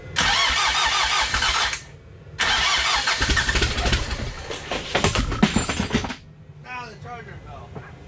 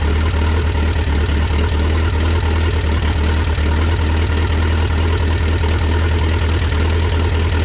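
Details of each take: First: Dodge Raider/Montero with rebuilt 4D55T diesel (low compression before rebuild), just refitted and fuel bled: cranks briefly, pauses, catches into steady diesel clatter; runs well, though injectors and a cracked injector line leak. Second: Cold start at about 40–45°F of a freshly rebuilt Mitsubishi 4D55T diesel in a Dodge Raider/Montero swap, heavy glow plug use: low uneven stumbling idle, slight misfire from air in the fuel lines due to leaking injectors (especially two and three), white smoke.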